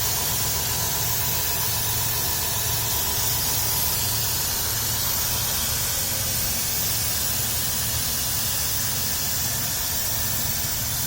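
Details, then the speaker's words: Dodge Grand Caravan 3.3 L, salt-covered engine in winter, heard at the engine bay: steady, even idle hum under heavy hiss, no ticking or knocking. Healthy normal idle; throttle body cleaning planned. "nice and smooth no knocks or anything"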